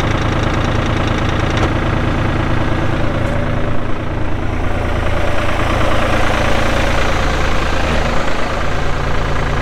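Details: 1999 New Holland TN65S 4WD diesel tractor, cab with AC, 8-speed hydraulic shuttle, NH 33LA loader, 4,162 hours: steady, even diesel clatter with smooth low rumble at idle, no misses or knocks; AC cold, hydraulics strong, engine sounds good — normal idle.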